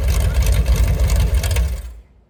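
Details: Mopar 383 V8, mufflers pulled: loud, deep open-exhaust idle, about 900 rpm, with an even, slightly choppy beat before shutoff. No ticking or knocking, healthy mild street cam.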